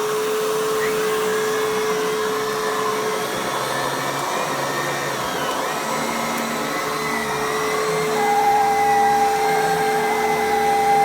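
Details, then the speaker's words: Kenmore PowerMate power nozzle on canister vacuum after upright-lock repair: steady motor hum with thin whistle rising midway; owner suspects worn belt, possibly leak at canister; abnormal running noise. "That might actually be the belt. The belt is a little bit worn."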